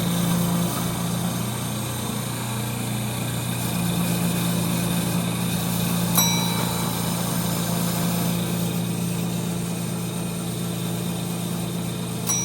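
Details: 1930 Gilbert and Barker model 106 clock-face gas pump, after a WD-40 restoration, running under flow: steady low hum at constant pitch, no knocking, rattling or grinding; old pump motor running smoothly, normal.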